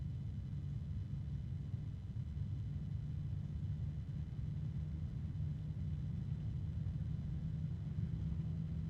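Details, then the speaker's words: PC case fan at maximum speed: loud, steady low droning hum with a faint harmonic resonance; a faint tapping persists but is nearly drowned out. "another harmonic resonance and the tapping persists although the noise of the fan is starting to drown it out"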